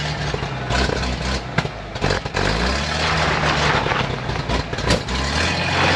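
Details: 1956 GMC 630 fire truck, 503 straight-six with carburetor, rescued off a farm, idling after revival: deep, steady idle with a couple of short speed lifts, smooth and even, no knocks; idle then starts racing, cause unknown.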